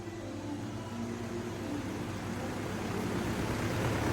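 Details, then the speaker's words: Samsung washing machine on spin with clothes loaded under a cover; deep rumble builds steadily louder as the drum speeds up, running heavy and rough like a jet engine or generator after about 10 minutes; cause unknown. "ये शुरू हो चुका है। Oh my God, ये jet engine हो चुका है।"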